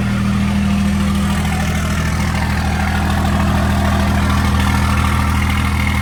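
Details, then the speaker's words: 2nd-gen Dodge Cummins diesel with NV5600 after short throw shifter install, inside the cab; steady, even low rumble with no clutch rattle, much quieter; normal idle. "All right, it is much quieter in here. This quieted down a ton."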